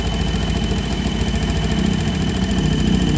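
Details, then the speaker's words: Yamaha Jupiter MX New, engine hot with the radiator fan not spinning; its radiator was previously serviced. A thin, steady high whistle over a fast idle grows louder as the engine heats. Hot-engine whistle, with the cooling/radiator system suspected. "nah ini sudah mulai keluar suarane tuh makin panas makin keras"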